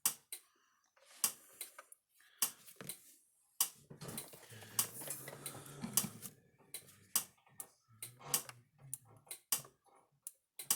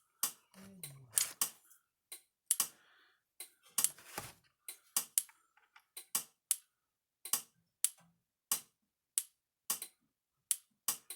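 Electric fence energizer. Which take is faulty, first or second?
first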